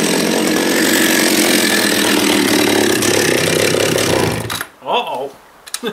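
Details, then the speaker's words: John Deere EV45 chainsaw after a carburetor rebuild, high-speed needle being adjusted (too lean made it start to conk out): high steady two-stroke scream holding clean revs, then cutting off; normal running at high speed. "it seems all right there seems pretty happy so you heard there when i was changing that needle that yeah and it just kind of started to conk out that's way too lean"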